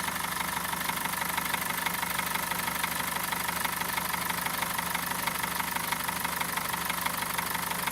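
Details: BMW M47TU diesel at idle: regular knock about twice a second over an otherwise steady idle; engine knock, cause not yet known.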